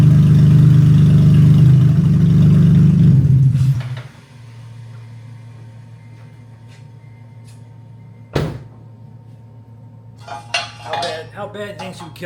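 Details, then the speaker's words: 2014 Honda Odyssey started after fitting new non-OEM catalytic converters with nothing after the cats (open headers): loud, deep, raw roar for a few seconds, then a quieter steady hum; open, unmuffled exhaust. "pretty much cats and nothing else. Open headers. So, so I got to do it. I'm going to start it up and see what it sounds like."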